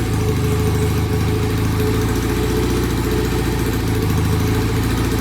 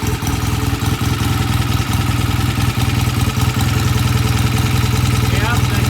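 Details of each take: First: Vintage BSA motorcycle that the owner couldn't start, after kick-starting: a low, heavy idle that won't settle into a clean even beat and nearly dies. Rough idle; clogged pilot jets and off idle settings suspected, to be cleaned and adjusted. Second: BSA A65 Lightning, came in hard to start, after cleaning pilot jets and setting idle mixture and idle speed; steady even low thump with no misses, good oil flow, smooth healthy idle; normal idle.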